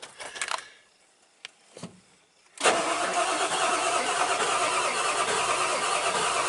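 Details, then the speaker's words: Ford truck (obsford) with a diesel engine; the wait-to-start light never comes on. The starter churns steadily about three beats a second but the engine never fires. The owner suspects no power to the PCM; not confirmed. "it almost half sounds like it wants to start I doubt it will because I think if the weight to start light doesn't come on unless that bulb's burnt out I think that means I've got no power to the PCM"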